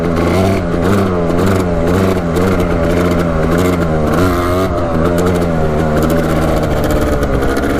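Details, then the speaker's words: Four-wheeler with stock pipe and baffle, smoky and possibly running a tad rich, with a new spark plug that changed little: revs rise and fall with a blubbery, uneven note that struggles to clear out; loading up, cause not confirmed. "Having a hard time clearing it out, sounds like."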